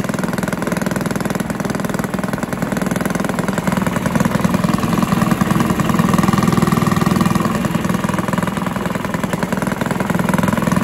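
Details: Villiers 10 petrol engine on old Barford cement mixer, first start: quick even single-cylinder beat about three a second, swelling slightly and settling, no misses; runs well, though compression not excellent and fuel seems to run through with tap off.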